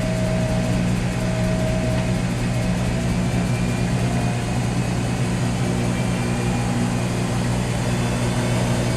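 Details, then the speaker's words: Whirlpool Duet Sport front-load washer after control board solder reflow fixing F-1 relay error that cut out during high-vibration final spin: even steady hum with faint low whine, drum bouncing, no cutting out or surging; normal spin. "Okay, now it's time to spin. See how it's bouncing? And that's normal."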